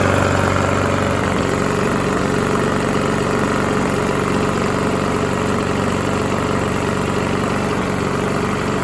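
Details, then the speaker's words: Previously seized Briggs & Stratton small mower engine runs at a steady even putter with no rod knock; oil drained was pitch black, owner thinks it may have run low on oil. "so that's not bad sounds good doesn't sound like there's any rod knock or anything so i think the motor is fine"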